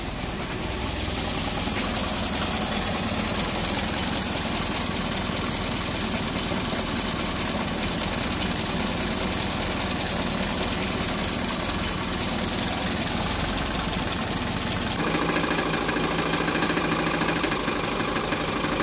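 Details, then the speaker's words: Hyundai Getz engine running rough and lacking power, with a loud uneven knocking rattle. The crankshaft center bolt was not tightened, so the crank timing sprocket and pulley came loose with large play; compression passed at 120–130 per cylinder. "Tapos issue ng makina ah pag umandar na malagatok. Knocking knocking yung mga ginagawa nga ng nangyari kasi dito hindi nahigpitan yung pinakacenter bolt ng crank shop kaya lumuwag yung ano natin pulley."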